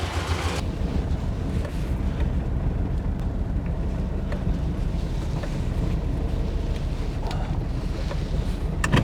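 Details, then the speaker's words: Chevy Blazer with sputtering idle: deep lumpy idle with uneven chugging, dropping between four and three cylinders; bad gas and an intake manifold gasket suspected, not confirmed; misfire. "sounds like it's running on at least 4 cylinders so I'm going to go ahead and move it over there real quick and we'll get started oh down to three back to four"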